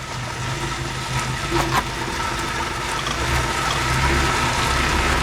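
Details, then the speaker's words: 2003–2011 Honda Element AWD rear differential with old fluid, heard while turning; uneven rubbing groan with low chatter like tyres scrubbing but not tyres; old fluid making the rear differential bind. "So yeah, it sounds like the tires are rubbing, but it's not."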